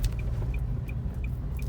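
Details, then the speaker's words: 2017 Nissan Kicks test drive after replacing the steering box with a new original part, fixing the suspension/steering noise: only steady road rumble, no clunks or knocks; normal steering and suspension. "Tá aí agora o carro sem barulho e show de bola."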